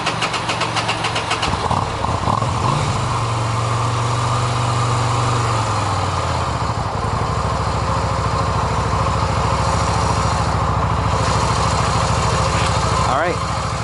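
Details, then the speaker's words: Yamaha XV250 (Virago/V-Star 250) after valve adjustment, started on choke with the camera close to the valves: cranks, catches and settles into a steady, even idle with no valve ticking, much quieter than the loud noise before; normal idle. "so you can hear how little noise there is it was pretty loud before and that's it we're all done"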